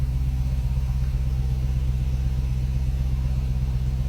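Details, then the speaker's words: 2016 Dodge Charger at first start after work was finished: deep, even idle rumble with a smooth steady beat and no knocks or ticks, a little smoke from oil burning off the headers; normal idle. "here you go he's running it sounds good the bad F's working oh yeah boy but she sounds"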